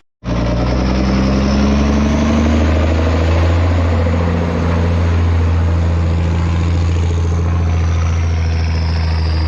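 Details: M35A2 military diesel truck, started right up after sitting long (a disconnected wire found): deep even diesel clatter settling into steady idle with smooth revs; runs really good, everything works, clean; normal idle and revving.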